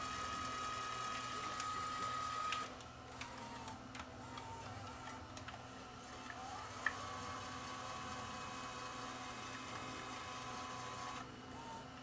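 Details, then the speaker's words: Sony CCD-TR94 camcorder that shuts down after a few seconds on play, with a clogged head and no picture: a faint light ticking whir, about four ticks per second, from the tape mechanism in fast forward, an odd noise of unclear cause. "but my concern with when i was in fast forward it made it an odd noise"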